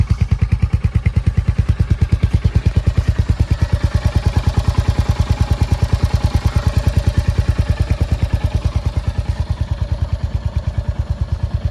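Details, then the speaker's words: Royal Enfield Hunter 350 single-cylinder after start-up, steady even tick about three times a second over the low thump, said to occur on every Hunter; tappet chatter suspected, unconfirmed; ticking at idle. "आपको हर Hunter में I think ये मिलेगा आपको start करने पर इसमें आवाज आपको किट किट करके आती है जो कि आप सुन सकते"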